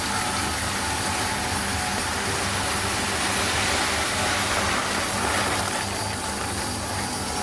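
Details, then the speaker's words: Home flour mill (gharghanti) set for bhakri grinding, grinding 3 kg jowar with rice mixed in, lid closed. A steady, even whirring grind with no knocks or pitch changes continues throughout grinding: normal operation. "आणि हा आवाज येतोय थोडा थोडा तुम्हाला तसाच आवाज continuously दळण होत असताना येतो"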